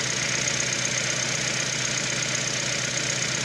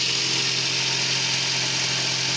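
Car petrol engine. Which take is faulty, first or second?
first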